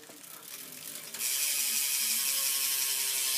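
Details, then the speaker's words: Alienation bicycle hub taken off a stock bike, spun freely: fast, fine, even, quiet freehub clicking with no grinding or skipping; a healthy ratchet. "Barely even hear it. Yeah, that's alienation hub sound, so."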